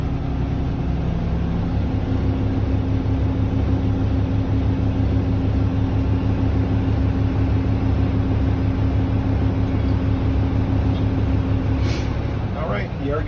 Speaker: air governor cut off between 120 and 140 psi, operating properly.